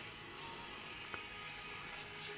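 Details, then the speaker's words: Grundig Satellit 3400 Pro radio after a full recap of all electrolytic and tantalum capacitors, running on battery and tuned to strong FM station 89.3: at maximum volume only a faint, thin trace of music comes through the hiss; FM reception very weak, cause not yet found. "i've got it on fm i've got the volume on max and i can just about hear it this here is supposed to be a very strong station"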